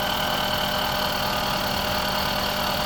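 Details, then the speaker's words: 2005 Honda Civic at steady idle, checked with a stethoscope: a thin constant whine and faint even ticking from the cylinder head, which the mechanic judges to be camshaft noise rather than crank; head must be opened to confirm. "Crank की आवाज़ है? केम की आवाज़ आ रही है।"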